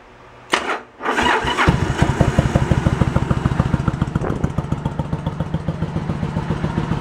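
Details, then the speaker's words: 1986 Yamaha Virago 1100 that sat about six to seven years with fuel in it, started without choke. It catches into a lumpy, irregular chuff running on one cylinder; the front cylinder is not firing, and the front float bowl is to be checked for fuel. "Front cylinder's not doing anything. I got nothing on that front. I gotta look into it. So why we got nothing on the front?"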